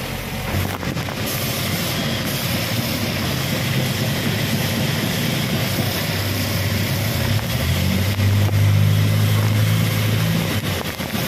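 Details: Suzuki APV after timing belt replacement: engine catches, then settles into an even steady hum that rises slightly and holds without knocks or slapping; normal start and idle.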